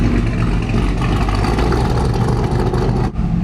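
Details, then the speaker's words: GM 5.3L naturally aspirated V8 truck just after cam swap and cylinder deactivation delete, not yet warm, before crank relearn: deep V8 idle loping and hunting unevenly; spark table all over the place, idle not happy with unfinished tune. "Spark table is kind of all over the place. All right, we're gonna let this warm up for a minute. Once it's warm, take it for a drive and get that file over to Matt. That idle still is not happy,"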